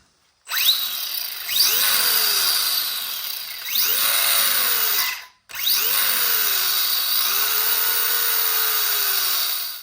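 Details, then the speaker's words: Kyosho Outlaw Rampage Pro bench test after fitting a steel spur gear, new fluid and sealed transmission and rear axle: high smooth whine rising and falling with throttle bursts, no grinding or clicking; gear noise much improved, mic very close. "definitely a huge Improvement I know it sounds loud on camera right now but you're like 6 Ines away from this thing so uh I'll definitely be able to get a good comparison out on my next running video"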